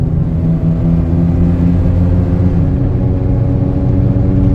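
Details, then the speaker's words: Saturn Ion front-wheel drive while driving: steady low howling hum from about 30 mph under road rumble, unchanged by gear shifts and heard clearly while slowing; a bad front wheel bearing/hub assembly. "now we're slowing down you really hear that humming going on there that's a wheel bearing"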